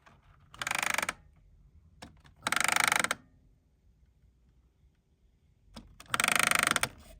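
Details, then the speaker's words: Magnavox D-8330 dual cassette boombox, deck B: bursts of rapid raspy gear chatter from the mechanism, gears binding against a dislodged plastic piece; the original brittle gears are not cracked. "it's kind of hard to tell where the noise is coming from exactly so I'll need to take this apart further"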